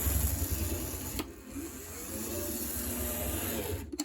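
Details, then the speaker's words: Vintage Varney F2 HO scale locomotive on test run after motor oiling and reassembly: steady small motor whir with light gear buzz and faint track rumble, smooth, no binding; runs slightly faster in reverse than forward. "Seems like it's still running a little faster backwards than forwards. I found that with some engines, especially old ones, that seemed common."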